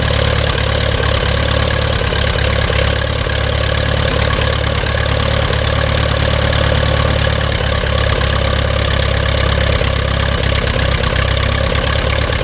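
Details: Allis-Chalmers WD-45 tractor engine idling after carburetor rebuild and reinstall: steady, even low-pitched chug with no misses, knocks or surging; idling smoothly and running right.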